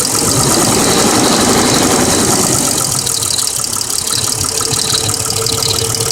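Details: 1999 Mercedes W163 ML320 petrol, almost 200k miles, at idle: a light, steady lifter ticking about four clicks a second, boosted audio. It started after an oil change to Mobil 5W40 with a new filter; before, it ticked only briefly at cold start.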